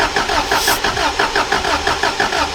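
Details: Subaru Impreza WRX STI Classic being hotwired, fuel pump heard priming, fuel possibly stale after sitting three years: the starter cranks in a steady rhythm of about four pulses a second but never catches; cranks without starting, cause suspected, not confirmed.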